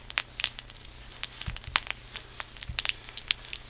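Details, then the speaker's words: CV joint removed with its loose-clamped boot cut off, still full of good grease, worked by hand: soft wet squishing and light irregular crackle with no binding, clicking or grinding; owner suspects the cap was pushed off the end. "there's no binding at all they seem to be running fine can hear the grease but it's kind of gross huh"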